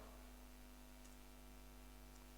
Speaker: That's my volume rolled all the way off, and it makes more humming.